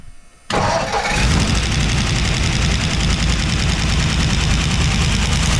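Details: 1957 Ford Fairlane 500 with a 312 V8, run on seven cylinders because of a stuck valve. It cranks and catches into a lumpy, uneven beat with a hollow skip; dead cylinder misfire.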